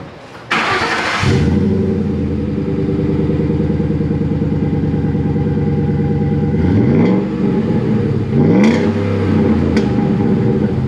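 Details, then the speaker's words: 2012 Ford F-150 Coyote 5.0 V8 with new Flowmaster muffler replacing rusted universal muffler; starts, settles to even burble, two quick revs, deep clean exhaust, still fairly loud but quieter, no rasp or leak. "so it's still kind of loud but it's i think it's better than what that was because this uh flowmaster muffler is a little bit bigger and it actually muscles the sound"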